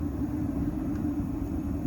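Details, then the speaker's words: Atwood RV gas water heater burner: a steady, deep jet-like roar with no pulsing; the air mixture ratio needs adjusting, and it sounds better with the air set fully open. "And so that's the sound, so we can adjust the air to make it not so loud."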